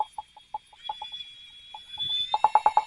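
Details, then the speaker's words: Valve lapping with cordless drill and 5–6 in hose over valve stem at top of guide: crisp, even tapping about three per second over drill whine as valve pops up and down, seating it evenly all around; normal. "That's what you want it to do. That will seat that valve with quickness and it will get it even all the way around."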